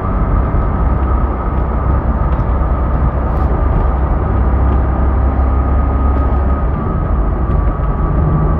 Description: There's a high pitch humming that has started a few days ago as of posting this video not sure what it is or how to address it.